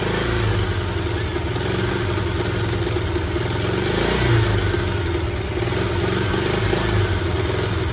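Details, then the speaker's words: 1985 VW Vanagon Westfalia Weekender parked about 20 years, first start on gasoline after starter fluid, throttle spring off: settles into steady even idle, no knocks; fuel pump wiring issue suspected. "all right crank it up that's running on gasoline"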